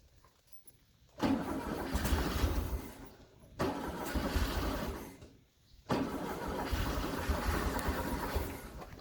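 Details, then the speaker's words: 1974 VW Beetle with a freshly installed 1641cc engine on its first start attempts. Fuel is spraying, the choke isn't closing and the idle screw was backed out. It cranks three times, catching and sputtering briefly before dying each time. It won't idle yet. "so it is it's close we're almost there all right we did some fiddling with it let's see still not quite there but it's definitely getting there"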